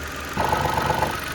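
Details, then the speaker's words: Mitsubishi Mirage at idle before new rubber bushings are fitted to the air filter housing. A buzzy rattle starts abruptly over the smooth idle as the loose housing vibrates, worse when cold and with the AC compressor running. "แต่ก่อนก่อนหน้านี้นะครับตัวนี้มันจะสั่นสั่นทั้งหมดนัแหละตัวนี้ก็สั่นตัวนี้ก็สั่น"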